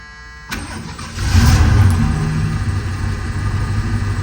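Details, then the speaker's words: 1977 Lincoln Continental Mark V after three years in storage, new battery, known vacuum and exhaust leaks: short crank, engine catches at once and settles into steady even low idle. Quick start. "Started right up that time. Wow."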